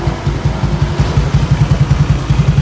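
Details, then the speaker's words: Scooter with a 4-valve 192 cc engine, hollowed silent muffler and an orange TPS, revved with the CVT removed. Crisp, evenly spaced exhaust pulses rise and fall cleanly with the throttle, no knocking: the engine is still smooth, normal running. "Dan alhamdulillah masih halus mesinnya."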